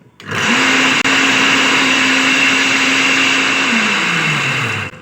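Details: Water pump motor before repair, also with a broken impeller plate and nuts: steady high-pitched rough whirring whine that holds its tone, then winds down at switch-off; worn motor bearing, to be replaced.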